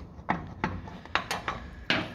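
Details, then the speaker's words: 1967 Chevrolet Caprice lowrider, noise noticed while driving: six sharp, unevenly spaced metallic clunks in about two seconds; the disc brake adapter bolt is loose enough to turn by hand and knocks in its mount. "So this adapter right here from the disc brakes is actually making noise."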